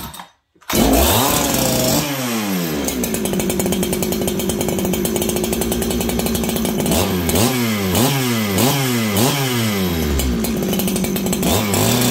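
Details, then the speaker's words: Farmertec 288 kit chainsaw, throttle blipped for an oiler check, then set to high idle. It revs up and drops back cleanly with a slight burble; a good-running saw, tuned a little rich. "this is a good running saw I think I have it a little Rich right now"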